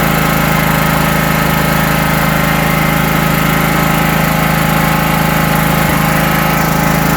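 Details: 1980s John Deere 180 lawn tractor: steady even engine beat with constant low drone, no misses or knocks; has spark and fuel, running smoothly.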